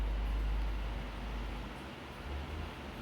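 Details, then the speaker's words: Britânia Turbo fan after locking a loose plastic part that rattled (design flaw): only steady rushing air and a soft propeller hum, with no plastic or metal rattle. "ele é bem forte eu acho ele forte até demais Olha só o barulho do vento agora Só o barulho da hélice"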